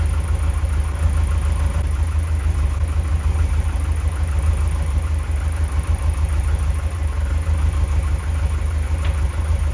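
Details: Lotus Elite after idle adjustment following rough running: deep, even idle holding a steady rumble without hunting or misfires; sounds much better.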